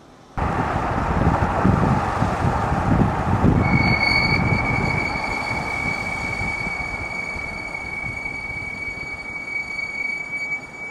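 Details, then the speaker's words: BMW X7 delivered June 2021, driven with window open, brakes applied at speed: road rumble then steady high-pitched squeal holding while slowing; brake replacement planned; brake squeal. "방금 들으셨나요이 소리가이 브레이크 잡을 때 굉장히 좀 어 심하게 나는 거 같습니다 제가 느끼기에도"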